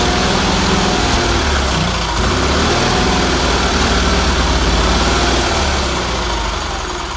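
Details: Red Roper engine after new fuel filter, fuel line, pulse line, wiring and exhaust, some tuning done; weak fuel pump suspected earlier: twin runs a steady, fairly even low beat, slight speed drift, no knocks or misses; runs fine.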